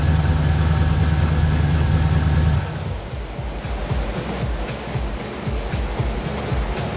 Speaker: All right. Well, at least something's all right with it. And that's how she sounds closed up.